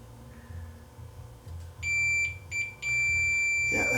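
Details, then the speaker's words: Leak Delta 75 receiver, checking the driver transistor on the shorted line: the meter gives a solid continuity tone across it, dropping out when the probes lift; the driver transistor is shorted. "looks like that one shorted that that transistor here looks to be shorted"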